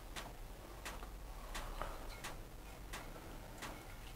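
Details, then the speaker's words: Hotpoint NSWM 1043C 10kg inverter-motor washing machine on spin: faint sharp tick about every 0.7 s over a quiet spin; owner suspects a spring inside has moved and ticks against the side; cause not confirmed. "it ticking on the spin there I can hear it ticking so I'll have to have a look into that"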